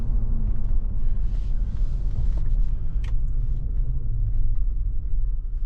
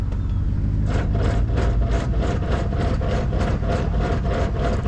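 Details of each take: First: 2007 GMC Yukon after rebuilding the destroyed limited-slip spider gears in the 8.6-inch rear differential, driving in 2WD and reverse: even low road rumble, no clunks or bangs; differential sounds fine. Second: 2007 GMC Yukon that moves only in 4WD: in 2WD, rapid clicking about three times a second over the idling engine as something turns but the truck won't move; limited-slip spider gears in the 8.6-inch rear differential destroyed.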